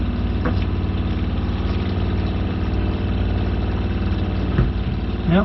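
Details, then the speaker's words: Shurflo 4008-101-A65 RV water pump after the housing, which came apart when its screws vibrated loose (owner suspects they are too short), was screwed back together. It pressurizes with an even, rapid low thrumming pulse and no rattle or buzz, running properly. "you go ladies and gentlemen we have a properly working pump only issue were those screws vibrated loose"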